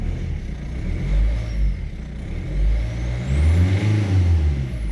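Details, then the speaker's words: Diesel car that would not start after a fuel filter change, running once the air was bled from the fuel system: it fires up and responds to throttle blips with no stumbling; a few bubbles remain in the line. "so but we have still we have some bubbles but uh i don't care it's working"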